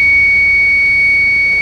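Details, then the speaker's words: TVS iQube electric scooter on charge, stuck at 0% and not charging after half an hour: continuous high-pitched steady warning tone that also sounds while riding, when the system cuts out and restarts; fault persists after three repair attempts, cause unknown. "ಚಾರ್ಜ್ಗೆ ಹಾಕಿದ್ರುನು ಇದೇ ಸೌಂಡೇ ಬರ್ತಾ ಇದೆ ರಾತ್ರಿ ಎಲ್ಲ ಜನ ಹೆಂಗೆ ಮಲ್ಕೊಬೇಕು ಇಲ್ಲಿ ನೋಡಿ"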